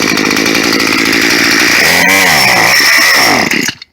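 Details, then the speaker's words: Scrapyard two-stroke gas weed wacker, good compression, fresh gas with too much 2-cycle oil, primed: buzzy, strong, steady high revs, then the pitch sags and it cuts out; otherwise a clean, healthy run. "There she is. She just runs. She just wasn't on. She needed to be on half choke to run all the way."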